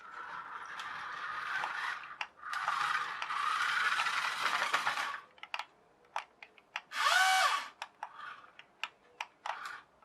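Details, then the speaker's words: Equestria Girls push-along toy car converted to hobby-grade RC with a 3D-printed replacement pinion, running outdoors: short whirring motor bursts broken by quick clicks and rattles; 3D-printed pinion slipping and jamming instead of driving the gears. "but is that 3d 3d printed gear playing up is jamming that's what it is I can hear it still"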